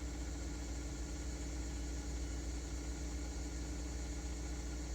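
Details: 2013 Mazda 3, 2.0L Skyactiv, automatic, cold start after replacing bad MAF sensor (P0171, P0101) and clearing codes; steady even idle hum coming down from high idle, nothing irregular.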